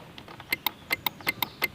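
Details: Honda Beat FI eSP smooth-starter, key on: crisp paired clicks, about eight in under two seconds, with no cranking; starter relay chatters but engine doesn't turn, so the brake and side-stand switches are ruled out.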